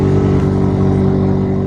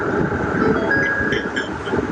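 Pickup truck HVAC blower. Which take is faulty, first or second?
first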